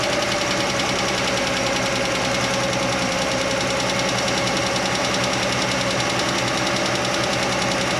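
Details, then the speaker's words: Chevy Nova straight-six idling: a light, quick tick keeping pace with idle, traced with a stethoscope to one loose rocker arm nut; tightening it while the engine ran made it quiet. "I tightened it up while I was running, and it got quiet. I put the stethoscope on each stud, and that one I felt like it was ticking, like the other ones weren't, and I tightened it up, and it got quiet."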